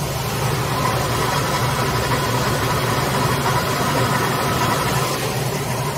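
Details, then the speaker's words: 1997 Dodge van engine after adding oil additives, with a slipping transmission: steady, even idle with a faint dry whirr from the belt end; worn pulley bearing noise, and the engine itself is quieter than before. "the only thing I'm hearing right now literally is the bearings on one of the pulleys in here it's making a little bit of a noise but other than that the engine itself is quieter as well"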